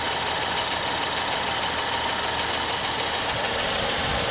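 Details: Normal idle of a 2014 Ford Escape SE 1.6 L EcoBoost after an oil change, with no leaks found. Steady, even idle with a smooth quick tick over a constant hiss, no knocks or misses.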